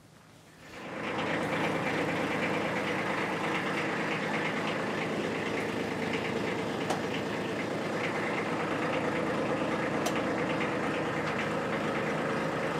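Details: Kubota B2601 diesel tractor at 50 hours, just after its 50-hour service with new oil and filter, HST filter and hydraulic suction filter changed: the engine catches after a second and settles into an even, steady run with no knocks or misses; healthy.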